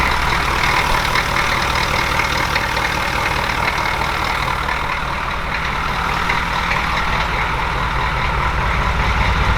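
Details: Grandpa's recovered OBS Chevy truck after a starter replacement, idling: steady, even diesel clatter with a deep rumble underneath, no misses or knocks; idling smoothly, later drivable after patching a holed transmission line.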